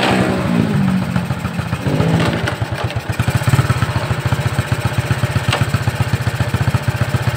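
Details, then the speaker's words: Shogun 125 single-cylinder engine idling on electric start, before repair: a rough, uneven clattering knock like a connecting rod, caused by a loose nut rather than the rod. "Suaranya berderak, hampir seperti bunyi ketukan batang besi."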